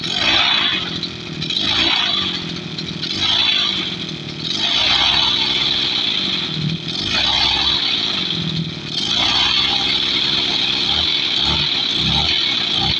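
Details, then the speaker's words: Tasco sprayer water-pump petrol engine, about 7 years old, all original, carburettor still good; steady buzzy idle with gentle rise and fall every two seconds, running cleanly; normal idle. "Ini udah sekitar 7 tahunan ini mesin, tapi masih bagus suaranya."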